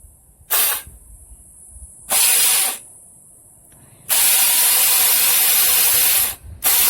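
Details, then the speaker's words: $7 scrap Razor electric scooter, wires connected directly to the motor bypassing the speed controller: short bursts of steady high whirring hiss, no grinding or knocking; motor good, speed controller suspected as the fault. "So the motor's obviously good. So I guess the speed controller is the real problem."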